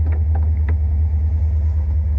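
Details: Fuel-injected Corvette: smooth, even low idle with a steady rumble and no ticking or tapping; normal idle, later drove perfectly.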